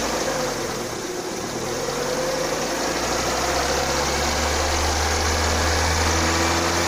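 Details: Lada Kalina 2, hot engine near 90°C, driving under load in 4th gear: quick regular tick that grows with revs, absent when cold. Suspected hydraulic lifter, but the cause was the alternator belt.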